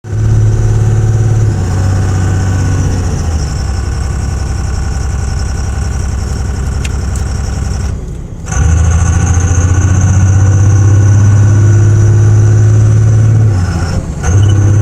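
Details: 2001 5.9 Cummins diesel misfire: deep, uneven chug and rough, lumpy beat at idle that persists through brief revs; cause suspected, not confirmed.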